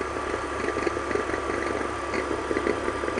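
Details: BMW E46 at idle: a faint thin squeak around 1 kHz with irregular chatter. The alternator was suspected, but probing traced it to the belt tensioner mechanism, and the belt is jumping in and out.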